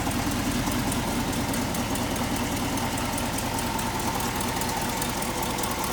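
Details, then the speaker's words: 1968 Ford F250 Camper Special, 360 V8 idling under the hood: faint quick ticking puff from a new exhaust leak on the passenger side, started within the last few weeks; owner suspects a blown gasket, fix planned. "It does have a bit of an exhaust leak, and it just started. You can hear on the passenger side, must have blown out a gasket."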